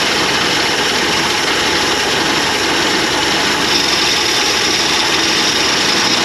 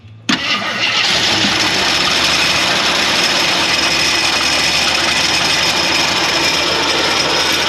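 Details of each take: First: 1981 Jeep Wagoneer parked 33 years, running: loud steady engine roar with a harsh high whine over it; failing belt-driven accessory bearing (AC belt also runs alternator), spinning but very noisy. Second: 1981 Jeep Wagoneer parked 33 years, on jumper with a borrowed carburetor, fuel from a boat tank: cranks briefly, catches, settles into a steady even idle with fast valvetrain tick; normal start and idle.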